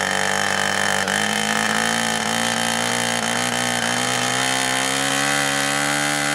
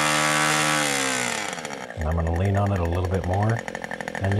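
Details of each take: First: 2-cycle nitro RC airplane engine on first start, running rich and four-stroking with a steady, slightly rising buzz that lacks crispness, before the stiff needle is leaned out. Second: Two-stroke nitro RC airplane engine during high-speed needle tuning; high, steady scream, then the note settles into a smooth, even two-stroke run as the needle is leaned from four-stroking.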